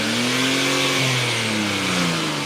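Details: BMW 325xi straight-six after the 330xi tune, revved out of gear to confirm the small and big aftermarket DISA flaps open. The rev rises and settles smoothly with no flat spots, hesitation or rattles. Normal revving.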